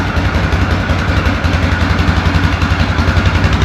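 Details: 2004 Yamaha Grizzly 660 single-cylinder, old, after no-spark repair and oil change: steady even idle thump, no misses or knocks; normal idle.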